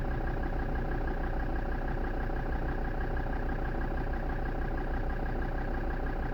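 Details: Land Rover Defender Td5 diesel idling with an uneven, lumpy beat about three times a second and a wavering rhythm; rough idle, cause not evident.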